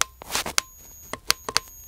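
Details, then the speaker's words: Cheap bug zapper, before conversion into a DIY high-voltage discharge tester, held up to the mic: faint thin steady high-pitched whine from its internal transformer under handling clicks; normal. "it's basically the wine the very gentle wine of the actual unit it's uh it's got some sort of Transformers in there"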